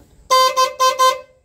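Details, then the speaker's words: Horn test on a 1988/89 Hong Kong-import Jaguar XJS 3.6: four short, clear, steady mid-tone blasts after refitting the original relay; horn working, fault likely just a loose connection. "it's working so it must have been just a loose connection or something"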